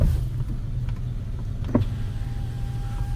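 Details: 2020 Chrysler 300 with warning lights, idling. The driver's window won't go down from its switch, a circuit monitored by the driver door module, while the other windows work: a faint steady motor hum with no stalling or grinding shows normal window operation.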